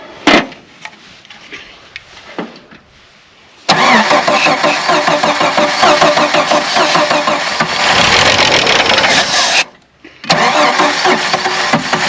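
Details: Old Jeep YJ, carb rebuilt, bowls dry and primed with carb cleaner, fresh battery: a few cranks, then fires and revs rough, cuts out briefly, catches again and keeps running, smoking; a normal first start.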